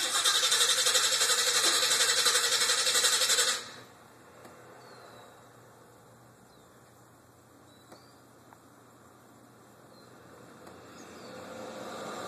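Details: Green El Camino driven only every two to three weeks, recorded through a window screen: steady cranking at about four turns a second for several seconds, then stops without firing; hard start.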